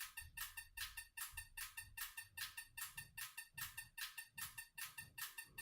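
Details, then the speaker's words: EZ EFI 2.0 bench test, engine not turning: simulated 50 rpm, sharp evenly spaced clicks with no misses; injectors firing in the correct sequence 3-4-1-2. "Et on entend tous les injecteurs qui se déclenchent les uns après les autres."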